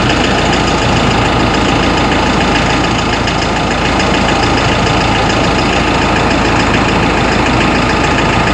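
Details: Ford Ranger 3.0 Limited diesel idling cold: loud, rough idle with busy clatter of uneven knocks over the engine note; mechanic and injection-pump specialist could not find the cause.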